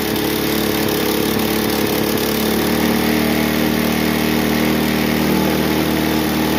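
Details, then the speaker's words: Bluebird belt-driven aerator, small single-cylinder pull-start engine that previously wouldn't run, after cleaning carburetor with diaphragms still working: runs on its own with steady even buzzing beat, no stumbling; running normally. "It runs on its own power. Sweet. Okay. Well, it runs."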